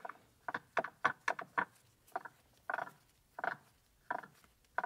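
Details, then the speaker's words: 1966 Triumph Spitfire differential during rebuild, pinion fitted with backlash present, turned slowly by hand: irregular bursts of dry clicking and grating as the teeth mesh; gear mesh pattern not yet right, noise cause still to be investigated. "but we also got a little bit of noise here when we rotate it I'm pretty sure that's not uh that's not a good sign so we'll have to look into that"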